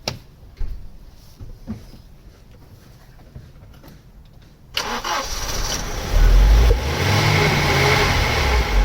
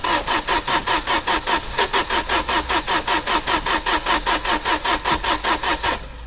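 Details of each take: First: Opel Omega A GLS 2.4i CIH estate, parked in a barn since 2003, restarted with fresh petrol added: after a few quiet seconds it catches and revs smoothly, even and free of tapping or knocking; running healthy. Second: Opel Omega A GLS 2.4i CIH estate parked since 2003, spark and fuel present, fresh battery: steady even starter chugging about two and a half compressions a second, no firing; crank no start, old stale petrol suspected.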